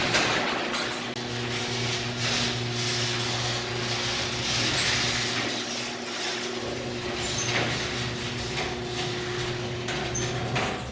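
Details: Garage door opener closing after re-securing the loose left safety sensor: steady motor drone with smooth rolling and rattling, no strain or reversal, door now closes normally.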